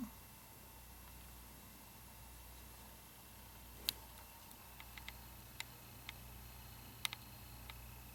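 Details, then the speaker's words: 2009 Mac Mini with newly installed hard drive, booting: faint steady high hum with a few light ticks in a quiet room; significantly quieter drive, spinning smoothly, normal. "significantly quieter hard drive too."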